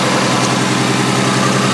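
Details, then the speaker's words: Demolition derby car in rough shape after a race, smelling like a two-stroke underneath with smoke from the radiator area, possibly no fluid: uneven lumpy idle with a steady low drone and stumbles, misfiring on one or more cylinders. "There's smoke coming out of like the radiator. You can hear misses everywhere."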